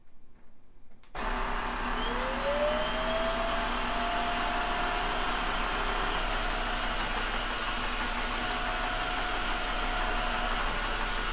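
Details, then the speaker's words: Tineco iFloor 3 floor washer/wet-dry vacuum running as a dry vacuum, recorded at user ear level: motor spins up into a steady, even high whoosh with constant hum; normal motor noise. "wow the sound profiles in wet and dry mode are about the same judging from the last test but the turbo mode will introduce a sound at about eight kilohertz or so that some people might be sensitive to"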